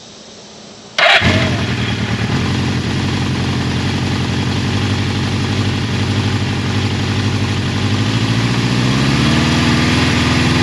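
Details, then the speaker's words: Cold start of a low-mileage 1981 Suzuki GS550T bought as a non-runner, about 1/8 choke on; four-cylinder catches and settles to an even, slightly high idle on all four cylinders with no knocks or ticks, healthy. "And that has just a little bit of choke. It has about an 1/8 choke on it still. It's a cold start. And as you can hear, the bike doesn't make any bad noises, so I'm just super excited about that. It's running on all 4 cylinders."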